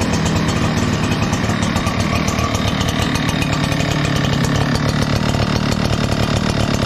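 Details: Echo PB 9010T backpack blower, 500+ hours, ran poorly when cold; after richening carburetor a quarter turn, started without choke: strong even two-stroke drone at steady speed, no bogging or stumbling; running great.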